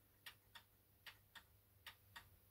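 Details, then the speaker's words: Antique Ansonia mantel clock movement after servicing and lubrication, on a level bench: ticks limp in a short-long pattern, about 0.3 then 0.5 seconds apart, one side's dwell longer; clock out of beat. "and if you can hear that it's kind of it's kind of ticking with a limp so one side the dwell is a bit longer than the other"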